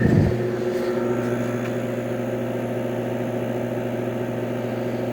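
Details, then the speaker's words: 1966 Admiral Royal 106 air conditioner, restored, thought low on refrigerant: after a start thump, a steady low drone with even whir; the fan motor hums, unusual for this normally quiet machine. Cause suspected, not confirmed. "starting to get pretty hot now I just don't get the humming stop such a quiet running machine isn't one for that"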